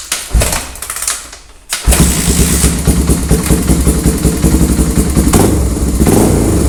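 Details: 1985 Honda ATC 350X three-wheeler after oil change, new air filter, carburetor service, new plug and refitted intake boot (previously fouling plugs and smoking); catches after a short crank and settles into an even, lively thump that picks up cleanly, healthy and responsive.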